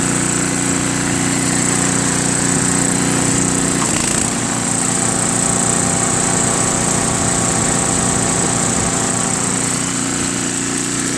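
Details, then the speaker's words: Craftsman 522 snowblower with Tecumseh engine after carburetor cleaned three times incl. ultrasonic, linkage corrected and auger cable tightened: steady, even small-engine drone with no hunting, misses or knocks; running smoothly. "Clean the carburetor 3 times, including an ultrasonic clean. Now it runs fantastic, it drives, and it blows."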